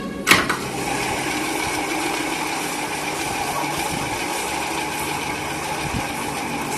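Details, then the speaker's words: Ceiling fan that runs but makes loud noise: constant coarse grinding with steady hum, like a flour mill running; something inside rubbing, source (balance, rotor or elsewhere) not yet determined before opening. "ऐसा लग रहा है जैसे हम आटा चक्की चल रहा है का सिक्का आवाज इतना कहां से है"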